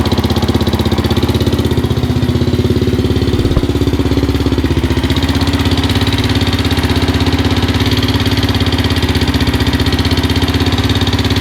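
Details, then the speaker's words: 2005 Suzuki LTZ 400 single after a botched valve guide replacement, at idle: light rapid ticking from the top end over each firing; valve train clatter, valve clearances to be rechecked (exhausts at 340, up to 350). "so it's pretty loud um I'm probably gonna go back in and recheck the uh the valve clearance is on there"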